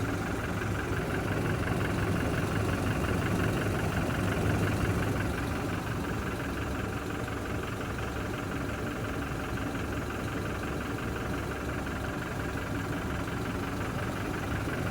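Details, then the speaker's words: Toyota Hilux back at the Toyota dealer, with timing chain noise returning about 20 days after the last repair, the third time. At idle a light, fast rattle at three or four beats a second rides over the engine note; timing chain suspected, not yet diagnosed. "Terceira vez a correntinha de BO. 15 dias depois, 15 não, 20 dias depois já tá apresentando o barulhinho de novo."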